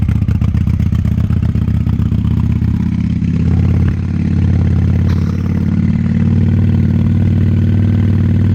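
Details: 1998 Honda Shadow 750 ACE V-twin, sat over 5 years, under light throttle after carburetor cleaned: very loud, deep unmuffled rumble, slightly uneven, a little hesitant; owner suspects fuel issue, possibly gas starting to go bad.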